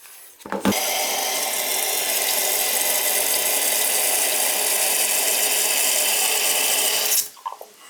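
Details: Toilet tank refilling with a steady even rush of water for about six seconds, no banging or hammering, after replacing the fill valve to cure banging when filling.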